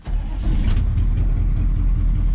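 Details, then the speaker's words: 1985 GMC 3500 6.2 Detroit Diesel with crank-no-start complaint, restarted in neutral after one minute shutdown with glow plugs cycled: catches almost instantly, settles to even low idle; normal start, electrical fault not suspected. "no problem look at that that was no problem so I wouldn't imagine that it has something to do with an electrical problem why I couldn't start it last night"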